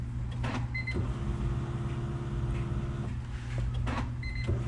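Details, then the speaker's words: Honda Integra being prepared for turbo, new Walbro 255 fuel pump just installed: short steady electric whine of a couple of seconds at key-on, stopping cleanly; normal prime, no leaks. "There it is. Primed. Ready to fucking go. Nope. No leaks. We're set."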